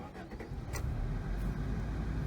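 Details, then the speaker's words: 1988 Toyota Corolla four-cylinder with replacement carburetor and radiator gasket fix, started with no gas pedal: catches within a second, settles into even low rumble on all four cylinders; normal start. "Starts right up, runs on all 4 cylinders. Everything's working."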